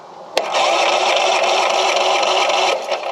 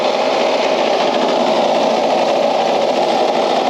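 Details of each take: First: Craftsman LUV lawn utility vehicle, not known to run, safety switches held down; starter spins the small engine over for about two seconds with an even whirr, no clicking or dragging: normal starter cranking. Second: Craftsman LUV (lawn utility vehicle) riding mower revived after not running: a loud, steady small engine with a buzzy, rattly edge, shaking hard enough to vibrate the fuel cap off; cause not yet found.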